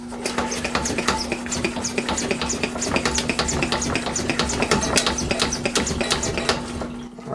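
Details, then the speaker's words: Coleman 414 Powerhouse two-burner camp stove (August 1993, garage-sale find) being pumped after fuel tank cleaning: quick, regular squelching pump strokes about three a second at steady pace; tank pressurizing normally, check valve then settling. "now we're going to test our pump we want to make sure our pump is good"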